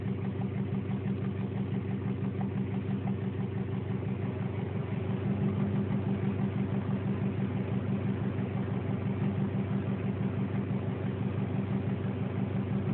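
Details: 2002 Subaru Impreza WRX at steady idle with a light, fairly even tick about three per second; determined to come from the cylinder head, not rod knock.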